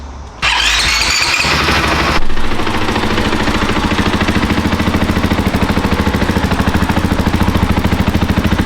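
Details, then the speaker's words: KTM 500 EXC-F dirt bike, just bought, before oil change and mods: starts on the button, catches quickly and settles into an even idle with a very quiet exhaust note the owner plans to upgrade; sounds healthy. "a very quiet EX ex which I do not like I'm going to have to upgrade that thing"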